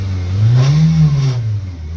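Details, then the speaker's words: 1995 Eagle Talon TSI, neglected, engine revved: deep coarse buzzing vibration felt in the car, plus belt squeak and power steering whine; a heat shield seems to be making noise. "You can hear that like a vibration, almost a buzzing noise. You can feel it in the car, which is what's crazy."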